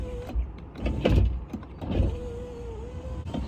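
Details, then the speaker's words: Nissan 350Z driver power window: motor hums through travel with a few heavy irregular clunks, also clunks on door close when down; worn window regulator or motor suspected, not confirmed. "But the problem I'm essentially having is that my driver window makes a clunking sound every time I open and close it."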